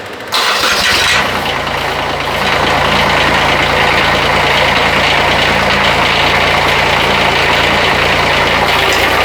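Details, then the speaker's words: Bobcat 371 skid steer after swap to a Kubota diesel, first run: glow plugs energized, then the engine starts and settles into a steady idle with a light metallic rattle from the muffler tailpipe hitting the frame. "So you can hear a little bit of metallic noise, and that's the muffler, the tailpipe hitting the frame. So that's going to go away."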